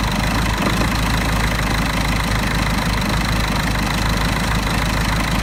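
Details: Mercedes OM 646 diesel idling cold with an uneven, lumpy clatter that won't settle. A faulty EGR valve causes the rough idle only until the coolant reaches 60 °C. Finding: rough idle from faulty EGR valve.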